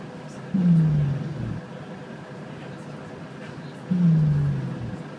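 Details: On SBS Bus 197, two deep drawn-out groaning snores about three seconds apart from the back of the bus, each fading over a second; source unknown.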